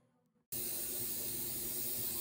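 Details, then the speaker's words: Hypertherm Powermax30 plasma cutter: after a short silence a steady hard hiss of compressed air leaking at the cracked water separator filter bowl despite an epoxy repair; bowl replacement planned. "so my epoxy fix did not work um I don't know if you can hear it or not but it is is still leaking there"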